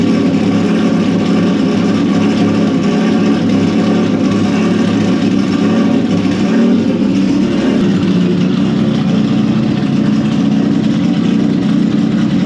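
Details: Turbo Honda VTEC petrol engine after fixing a vacuum leak from cracked O-rings: steady, even idle with smooth low rumble, no hiss, stumble or misfire.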